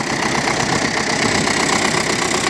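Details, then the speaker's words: Broken-in MTZ-80 tractor diesel ploughing with PLN plough about 18 cm deep; steady, even unbroken beat under load with no knocks or misses; engine running well. "працює добре. В принципі, нарікань поки що нема ніяких."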